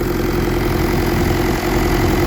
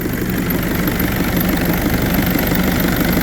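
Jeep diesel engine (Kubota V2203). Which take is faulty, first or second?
second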